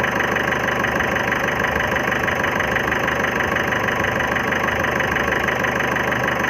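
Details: 2011 Ford Figo diesel idling with a hard knock about three times a second and lumpy beat; suspected missing cylinder, injector service considered, not confirmed.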